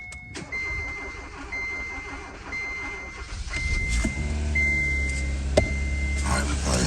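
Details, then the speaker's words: 2015 Kia Forte 1.6L turbo, previously a no-start, after fuel pump replacement and priming: a steady chime beeps about once a second, then a short crank catches and settles into a smooth, even idle with no fuel leaks. Normal start and idle. "all right we look back here we got no leaks the car running"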